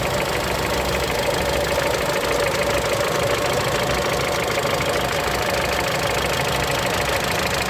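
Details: Mitsubishi Lancer X, 4B10 1.8 engine with CVT, cold idle: a light, uneven knock rides over busy mechanical clatter; knock only occurs at cold idle, origin unknown and needing tracing.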